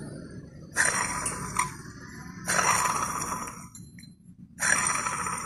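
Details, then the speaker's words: Worn water pump from a 2018 Chevrolet Beat/Spark 1.2 L, removed and spun by hand: three short scraping squeal bursts; bearing has heavy play and pump leaked antifreeze; replaced with new pump and gasket. "se escucha claramente como chilla"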